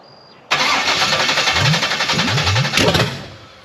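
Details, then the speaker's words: Blueprint 540 big-block Chevy in a C10 with Holley 870 cfm carb and open headers, second start attempt: cranks then catches with uneven, lumpy firing and stumbling; rough running, acting way out on ignition timing (initial timing later set to 14 degrees). "sure man that's acting like it's way out on timing"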